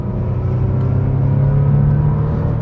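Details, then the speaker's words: Bentley Continental Supersports twelve-cylinder, about 600 hp, after ignition coil replacement, under hard acceleration: deep even rumble builds smoothly with no misfire stumble or ticking; misfire fixed, engine pulling cleanly. "It's just it's like an electric car because it's so quiet, but then it just pulls and pulls and pulls."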